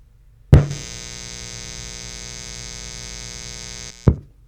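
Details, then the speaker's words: Amplifier powered by the ETaker M2000 power station's AC inverter: steady low mains-type hum with a fine buzzy edge, slightly more noise than on grid power but not dramatically more; partial pass. "So I did hear, in person here, I did hear a little more noise off of this AC inverter. However, it's not dramatically more."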